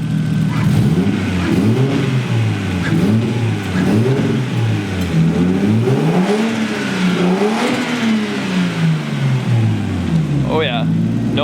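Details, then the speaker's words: RB20DET-swapped Nissan 240SX S13 with a big turbo, revved after re-tensioning an over-tight timing belt that had caused a supercharger-like whine: now quieter with injectors audible, blips climb and fall cleanly, blow-off valve heard. Normal revving. "so now the engine is a lot quieter like you can even i don't know if you can tell on video but you can hear the injectors firing so that is really good"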